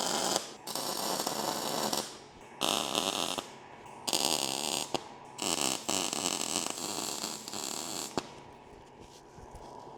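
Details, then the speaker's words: Lincoln Electric SpeedTech 215C MIG welder tack-welding table brackets and jigs into a cube: about five short crackling bursts of half a second to a second each, with quiet gaps between; clean, steady normal tack welds. "So this is just spot welding to be able to keep them together. A little spot weld in each one. So just a quick little dab on the trigger and hopefully it'll weld it up."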